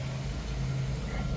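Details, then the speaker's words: 1989 Jeep YJ carbureted engine, fully warmed, air filter back on, after electric choke repair for running rich and fouling plugs: smooth steady rumble with no misses, but idle noticeably high. "as you can see, that idle's a little high"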